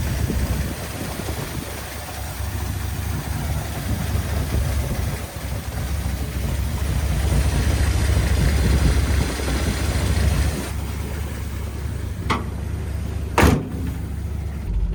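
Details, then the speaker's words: Datsun 280ZX six, first start after no-start repair parts replaced: freshly started engine idles low and uneven, stumbling with no steady rhythm, barely staying alive; rough running. Cause suspected, not confirmed. "going to lie this thing sounds like sh it's like barely alive right now"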